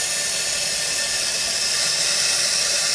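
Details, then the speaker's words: Kohler toilet with flush canister, after replacing the canister gasket to fix nonstop running: steady, even hiss of the tank refilling with the water turned back on, no sputter or surging; fill valve working normally, then shuts off with no further running. "now it's filling up we get it to fill all the way back up to"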